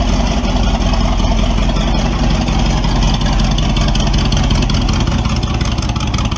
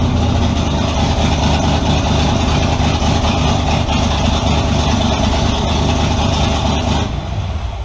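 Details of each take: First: Model A with a 350 small-block Chevy (hydraulic roller cam, 9:1), tunnel ram with two Edelbrock 600 cfm carbs jetted lean, idle set at max vacuum, in a driveway test: loud, rough V8 falls flat when floored; owner unsure if rich or lean. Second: Model A with 350 small-block V8, hydraulic roller cam, twin Edelbrock 600 cfm carbs on tunnel ram, being tuned; deep loud rumble revs strong with no stumble or bog, improved over previous hesitation; normal throttle response, idle mixture still needs tuning.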